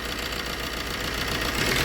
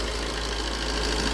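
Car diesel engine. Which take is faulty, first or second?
first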